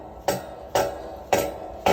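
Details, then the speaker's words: Harbor Freight log splitter whose ram fails to retract on its own after the valve is opened. Four sharp metallic clunks with a faint hum as it binds; it sometimes needs pushing back by foot or with a breaker bar. "look at this noise. It doesn't sound good, right? Sometimes you have to push this back with your foot or with a breaker bar."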